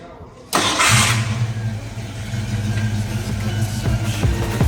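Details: 1970 Ford Boss 302 Mustang after a full rewire with new harness; fuel pump hum at key-on, then the engine cranks, catches and settles into a steady, even V8 idle; clean, healthy start.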